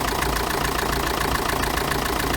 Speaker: Olha aí pessoal como é que tá o barulho agora depois do reparo efeito estava nas polias a estriada e essa polia de apoio aqui